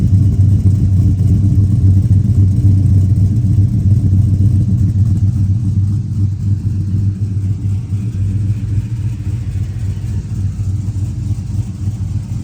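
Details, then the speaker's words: Finished Chevy Silverado 1500 5.3L with Chopacabra cam, Speed Engineering long tubes and 3-inch single exhaust, 23 degrees timing: deep steady V8 rumble with choppy lope about four pulses a second, idling smoothly; normal idle. "Yeah, she sounds good. I'm pretty impressed with how this Speed engineering system sounds."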